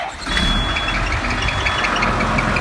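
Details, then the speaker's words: Cat D5G dozer with a charging issue, only 12.5 V at high idle, at idle: faint high chirp coming and going over diesel clatter from very loose alternator fan belts. "First thing, go ahead and start the machine up, and we got a belt chirp. So pulled the side cover, and the alternator fan belts are very loose."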